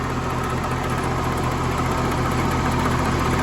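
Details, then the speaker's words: Massey Harris 30 tractor idling while running a wood splitter: loose, uneven rattle over a lumpy idle, about two or three beats a second; owner thinks it is the pilot bearing on the transmission input. "you really hear that rattle over here i think that's a pilot bearing on the input of the transmission"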